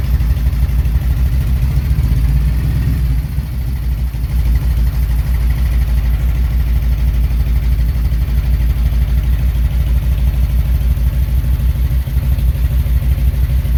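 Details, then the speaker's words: 1997 Harley-Davidson Road King fuel-injected V-twin, cold January start: loping idle about three beats a second, stumbling briefly early then steadying; cold-blooded, owner suspects fuel injection needs tweaking. "she is a little bit cold-blooded I think I still have to do a little tweaking on this fuel injection"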